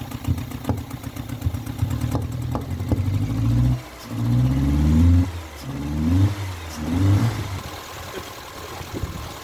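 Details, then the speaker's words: Renault Clio engine in a destruction test, oil drained after a dish-soap flush, no oil, leaking, restarted on hairspray: a rough, uneven idle that surges with throttle blips and stumbles between revs. "Can you believe that that's back running? Now I've got no oil in it, so got no oil, no soap, everything's open."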